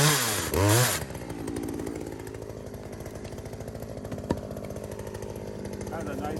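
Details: Poulan 2075C chainsaw, about 32cc with 16-inch bar, after carburetor mod, cold morning about 15°F: rough start bursts, then steady two-stroke buzz with faint uneven beat settling to even run; healthy.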